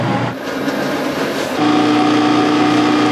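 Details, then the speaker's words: Bathroom exhaust fan running excessively loud: a harsh drone with a steady low-mid hum that settles in after a second, far too noisy compared with quiet HVI-certified fans rated around one sone or less. "and what should this fan sound like well it shouldn't sound like this"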